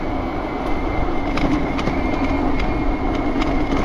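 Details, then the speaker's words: 72-volt BBSHD mid-drive e-bike with Phaserunner controller, while riding: rhythmic ticking and rattle over a rough mechanical drone; owner blames the chain tensioner, loud, possibly needing lube, not confirmed. "So everything feels pretty good, except for that chain tensioner does not feel good. And it sounds loud."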